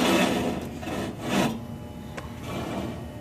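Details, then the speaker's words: Old York package unit evaporator blower turned by hand: slow, uneven scraping as the misaligned wheel drags on its housing, blamed on a worn motor bearing; it makes a noise on startup. Blower wheel rubbing. "the issue it's uh it's not that it's not cooling it's just upon startup blower makes a funny sounding noise"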